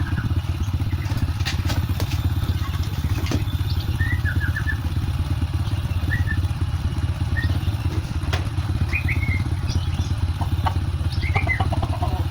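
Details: Honda Supra X 125 motorcycle after repair (scored connecting rod and bearing replaced, cam chain tensioner not contacting chain fixed, oil added); steady even low idle putter with no knocks or rattles, smooth versus rough on arrival; normal idle.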